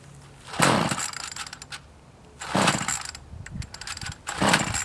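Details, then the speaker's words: Troy-Bilt TB 225 tiller with a replacement engine, primed and choked: three pull-start attempts with strong compression, each failing to catch because the tank is too low on fuel. "stick choke off this one has a lot of compression oh we just don't have enough gas darn it"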